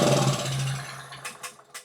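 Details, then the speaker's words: 2000-watt portable generator, unused a couple of years, started on starter fluid in the carburetor: brief sputtering fire that dies within a second, then weak puffs; compression and spark fine, no fuel getting through the carburetor. "Okay, great. So we have compression, we have spark, we have oil. We're just not getting fuel. So let's see what's going on with the carburetor."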